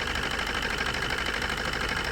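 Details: Maruti Suzuki new Swift diesel with abnormal vibration and low power: rough, lumpy, shaking idle; injector disconnect test shows two cylinders dead because the ECM sends no pulse to their injectors.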